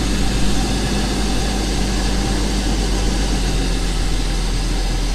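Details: BMW E39 528 with a no-start/runs-badly problem and a P0335 crank sensor code, crank sensors replaced, airbox off, just started. Deep, heavy idle that chugs unevenly instead of settling; running rough, with a doggy cold start.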